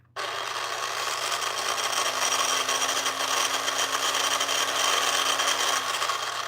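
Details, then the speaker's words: Battery-powered toy monster-truck launcher that loads mini trucks and shoots them out: a loud, rough grinding whine over a steady motor hum while running. Grinding is likely from loose, sloppy gear mesh. "it sounds awful but it's cool and shoots the trucks on the other side so what I'm hoping I can do is just come in here and get this thing to stop grinding so much"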